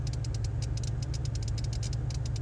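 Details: 2002 Monte Carlo with misfires after plugs, wires and injectors were replaced: fast, sharp ticking of about eight to ten clicks a second rides over a rough idle rumble, with at least one cylinder seemingly not contributing; valvetrain tick with the source unconfirmed.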